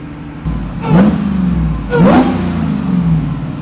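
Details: 800+ HP Jeep Wrangler ("Demon Child") just repaired after breaking down, cap on and cooling system pressurized: two quick throttle blips over steady idle, revs climb and settle cleanly with no misses or rattles; engine sounds healthy after repair.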